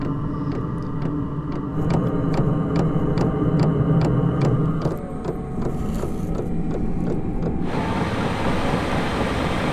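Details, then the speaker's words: Van diesel heater after exhaust replaced and air intake extended, leisure battery at 13.1 volts: crisp pump ticking about four per second over steady fan hum, settling as it lights; starting fine. "So, that is working a treat."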